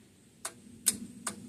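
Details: Old single-cylinder Onan 3.0AJ-1R RV generator, generator head doubling as starter: three sharp clicks about 0.4 s apart, no cranking; solenoid pulls in but dirty starter contacts stop the motor. Owner also doubts battery strength.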